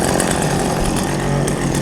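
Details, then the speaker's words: Old chainsaw unused about five years, warm: two-stroke idles smoothly and evenly with steady low buzz, no bogging or surging. "see how it's running nice and smooth at low idle that's good"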